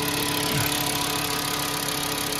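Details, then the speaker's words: 2007 VW New Beetle 2.5 after replacing the PCV valve diaphragm, which had caused a loud whistle and a loping idle: cold start with a brief high idle, then a smooth, even idle with no whistle or hunting. Normal idle. "that's exactly what we want yeah it is driving perfect no whistle no low P idle it is"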